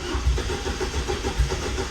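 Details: Chevrolet Celta, previously slow to start: a quick start with a few low thumps, then it settles straight into a steady idle; now catches first try, a healthy start.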